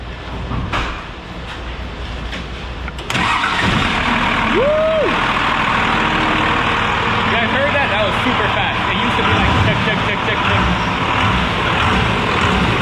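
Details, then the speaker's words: Ford F100 Gold Dust after installing new XS Power A3400 batteries: quick, brisk cranking catches within a few seconds and settles into steady idle; starter and batteries spinning it healthily. "Simi, give her a crank real quick. Let them hear how fast it cranks now."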